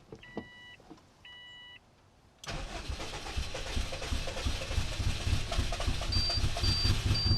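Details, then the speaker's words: Subaru EJ205 engine just swapped in, first start after refitting spark plugs and fuel pump relay and priming fuel: short crank, catches quickly and settles into a steady, even idle; sounds good, a healthy start. "yeah yes [Music] it sounds so good"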